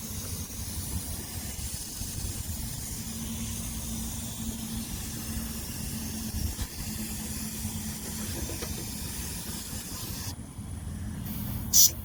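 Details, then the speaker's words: MCI coach with air built up and engine shut off: faint, constant hiss of an air leak from up high at a valve; another leak is heard somewhere at the drive axle; air leak at valve. "hear an air leak coming from up here somewhere"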